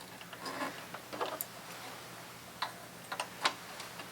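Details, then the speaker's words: Thrift-store sewing machine with new foot pedal, first stitching while raising bobbin thread: uneven light clicks and taps, one or two a second; noisy mechanism but running, cause unclear. "Don't love that noise, but noisy doesn't mean not running."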